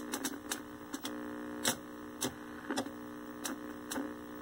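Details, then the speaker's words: 1973 Toshiba C321 13-inch hybrid tube/transistor colour TV after repair: sharp, irregular snapping crackles over a steady electrical buzz when the tuner is moved; arcing inside the tuner, alongside poor video and sync. "if i mess with the tuner you can hear arcing inside the tuner that's not good"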